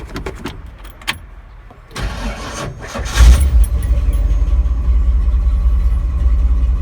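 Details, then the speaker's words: Ford 351M/400-family engine, cold, after replacing the old direct-drive starter with a gear-drive starter and new starter cable; a few clicks, short fast crank that sounds odd for the small starter, catches cleanly to steady deep idle; cranking much better. "a whole lot better. Sounds weird because those little starters do sound weird"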